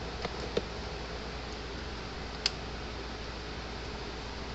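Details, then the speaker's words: Gallagher M60/M100/M120/M160-series fence charger, almost 10 years old, in for repair, run on 110–120 V: faint sharp clicks over room hum as it pulses, muffled by the epoxy-encased transformer; green indicator bulb burned out. "but you can hear hear it clicking these aren't very loud unit because the Transformer is encased in an epoxy which um muffles the sound"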